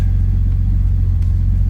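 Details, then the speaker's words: Datsun 280ZX Turbo (L28ET), AAC valve blocked off and idle set manually at the throttle stop; warm engine at about 900 rpm, check codes cleared; low, smooth, even rumble with no stumbles or ticks; normal idle. "all right so we got it to right about 900 850 it's warm it's getting pretty warm it actually is uh pretty responsive"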